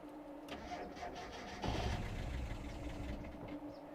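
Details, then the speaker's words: Mazda Miata that stranded driver on freeway, throwing code 1: starter cranks, engine catches with rough surge for about 1.5 seconds then dies; bad mass airflow sensor suspected, but unplugging it didn't help. "starts up and dies this is typical for a bad mass airflow sensor"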